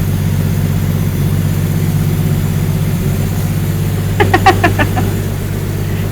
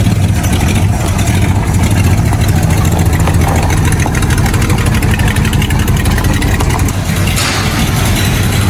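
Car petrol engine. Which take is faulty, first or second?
second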